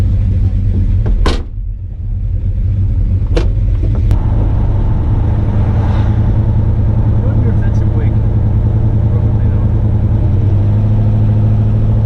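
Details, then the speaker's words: XC Ford Falcon with a 351 Cleveland V8, cold start after months unused in the shed, not yet professionally tuned. Deep, steady V8 rumble without stumbles or misfires; normal running. "so far so good it's idling"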